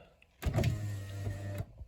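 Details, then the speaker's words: Honda Odyssey, about 21 years old, after repairing the driver-side master window switch PCB (before, only the driver window worked). The passenger and rear windows now run: a steady, even motor hum with a clean stop. Normal power window operation. "The driver's side still works as expected. You can hear the passenger. Back right. And the back left. We're in business."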